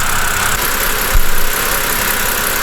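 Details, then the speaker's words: BMW E90 N52/N51 engine after replacing the alternator: steady, even idle with no knock, squeal or chirp, just a brief bump; belts, tensioner and alternator pulley good, charging restored; normal idle. "everything seems to be in our ship shape belts are good tensioner is good the alternator is spinning and there is no wobble of the pulley"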